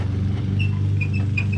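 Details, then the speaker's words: Truck running board (step bar) bolt squeaks while driving: short high chirps come and go over the low drone; the bolt is loose and visibly moves by hand, causing the squeak. "you hear that squeak so put here what's causing this problem is is this bolt right here"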